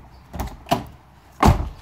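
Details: BMW V12 central locking after door lock repair (hard-to-remove connector plug behind the door dealt with): three crisp, solid lock/unlock thunks a fraction of a second apart; the actuator cycles properly.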